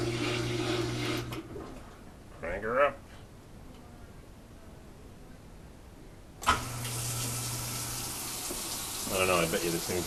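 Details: GE washing machine just after seal replacement (owner doubts the seal fit and expects leaks): rushing water pours into the tub over a low hum, stops, then starts again; the fill sounds normal with no odd noises.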